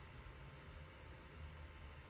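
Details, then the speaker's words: Hikvision recorder with replacement fan, cover off: faint steady low hum and soft airflow hiss, no rattle, tick or wobble; quieter than original Chinese-made fan, runs constantly; normal fan running. "yeah it won't bother me this won't bother me i can work alongside this because i like quiet you know"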